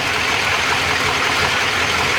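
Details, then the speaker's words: Freshly rebuilt Chevrolet SS TrailBlazer 6.0 LS2 with Trick Flow TFS cam, new bearings, gaskets and seals, exhaust connected with Magnaflow, warming up: steady even idle, smooth exhaust hiss, no knocks, misses or ticks; normal idle. "so there it is for you guys i want to check it out that sounds nice you just gotta plug this up man"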